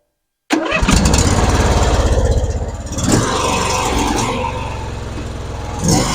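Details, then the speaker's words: John Deere LA-series (LA150) twin-cylinder mower, formerly hard to start, after a cold valve adjustment to 0.005 in and spark plug regap: quick brisk cranking, catches almost at once and settles into an even run. "you see how fast that engine spins over"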